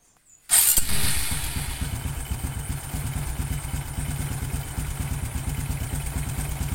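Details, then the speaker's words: Honda Karisma motorcycle, cold engine, after overhaul with new piston and rings: starts cleanly and settles into an even, smooth idle with a quick steady beat and almost no clatter, unlike the earlier knocking. "berbeda hampir tidak ada suara kelotok-klotok atau kletk-kletek ya ketika kondisi mesin dingin berbeda sekali dengan video sebelumnya atau kemarin ya ini suaranya bagus halus standar Karisma"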